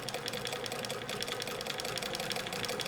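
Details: Overhauled 1965-era Bernina 730 Record free-arm sewing machine with double belt/pulley drive, sewing a decorative stitch from its internal cam at slow-moderate speed, then sped up: light regular clicking speeding up smoothly, no knocks or binding; normal running.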